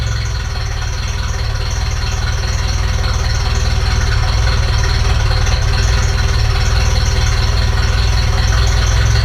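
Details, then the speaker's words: Ferrari 308 after restoration, before mixture adjustment: loud, low idle with slightly uneven lumpy beat around three pulses a second; engine runs too rich (too much fuel), also leaking oil; stalled shortly before. "Biggest problem is the fact that it's leaking oil, but also it is too rich. It drives too rich, there's too much gasoline."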